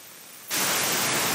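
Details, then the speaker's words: Mercedes 722.6 (Chrysler NAG1) transmission pressure solenoid bench-tested with shop air while energized: a steady, even hiss of about one second, then cut off; normal bleed leakage through its tiny orifice, matching the other solenoid. "now you will hear leakage like that that leakage is normal and when you energize it"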